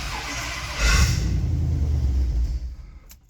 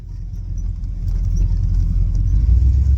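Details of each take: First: Ford 351 Windsor V8 catering truck, 5W20 oil, electrical issue with the neutral: brief cranking, rough stumbling catch that sputters and dies within two seconds, strong smell; weak firing, ignition suspected. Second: Classic catering truck with 351 Windsor V8 on a 500 CFM 2-barrel carburetor, on-road test drive, accelerating respectably: deep steady rumble pulling smoothly, no knocks or misses, no oil or fuel fumes; drives well, normal running.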